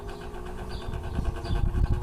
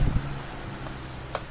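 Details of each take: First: Old Arno fan, about 10 years in use, runs weak with a low uneven rattling rumble, overheating and stopping; noisy and lacking power at speeds 1 to 3, worn motor bushings. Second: Older Arno pedestal fan, about 10 years old, overheating and noisy, after disassembly and repair, on lowest speed (which previously barely worked): soft steady hum with no rattle or scraping, running normally.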